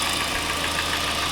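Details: Hyundai i40 / Kia Sportage 2.0 G4NA/G4KD engine with scored cylinders: steady idle with fast fine knock over a hissy top end; mechanical knock, owner wonders about timing chain or cam phasers, source not confirmed.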